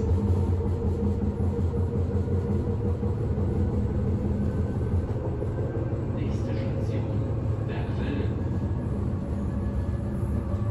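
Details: Inside a rolling 1991 S-Bahn Berlin BR485 railcar 485 112-7 on the S8, Schönfließ–Hohen Neuendorf: heavy low rumble, uneven rattling and a rough repeating thump from a severe wheel flat spot.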